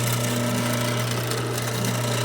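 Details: Reconditioned Pitco fryer filter pump motor running after reassembly: steady loud drone with a low hum that shifts in tone when the inlet is covered, showing the pump is properly coupled and pulling suction.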